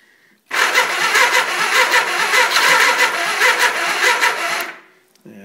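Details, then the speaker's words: 1979 Suzuki GS425L after a carb rebuild and cam chain tensioner refit, with a partly charged battery: the starter turns the engine slowly and unevenly for about four seconds without catching; fuel or a weak battery suspected. "hmm it doesn't really seem to be turning it sounds like it's trying a little bit maybe it's maybe it's because i didn't put enough fuel in there or put it on a reserve i should say"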